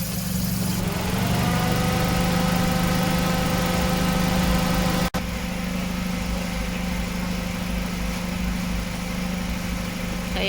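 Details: Suzuki Ciaz at idle with AC on, about 85,000 km: steady drone with rubbing, whirring tone from a worn, misaligned AC compressor clutch plate; fixed by replacing the clutch set, compressor oil and receiver-drier filter.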